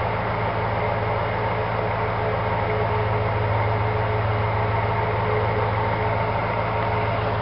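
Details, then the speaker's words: 1965 Ford Galaxie V8 after a quick cleaning of its 2-barrel carburetor, idle possibly needing adjustment; even low rumble at a steady idle with a slightly loping beat, no knocks or misses, idling normally. "We're going to try to fire it up and see how she sounds. Maybe do some adjustment to the idle."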